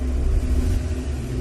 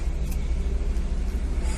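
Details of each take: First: Maruti Suzuki Swift petrol/CNG with the A/C on, idling with a low, uneven, lumpy rumble and RPM hunting plus minus. It vibrates, with a pickup problem; the misfire was traced to the ignition coil, which was replaced. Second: Maruti Suzuki Swift petrol/CNG, after ignition coil replacement for idle hunting, misfire and poor pickup: starts on a half crank and settles into steady, even low rumble with no stumble or misfire; runs clean.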